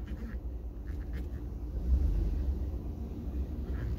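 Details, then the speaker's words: 2013 Ford F150 that squealed from the rear brakes when reversing in the morning, test reversing out of the garage after the rear pads were cleaned and sliders checked: only low engine and tyre rumble, no squeal or scraping. "No squeak, which I didn't expect. No squeak, because I beat the crap out of those brake pads, essentially."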